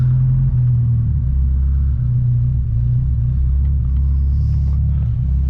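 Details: 1972 Ford Pinto, cold start after a few pumps of gas, in neutral, carburetor not yet rebuilt: a deep, steady rumble held at a fast idle. The owner suspects a bad spring in the Motorcraft carburetor.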